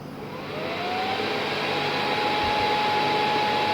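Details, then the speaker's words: PS3 fat powers on, fan goes straight to a loud full-speed roar with steady whine, shuts down after three to four seconds, red light blinking; fault from failed HDMI decoder chip, before component-level repair. "it turns on and fan spins on full speed and then three to four second after three to four seconds it collapse as a whole and after turning off the red light keeps blinking"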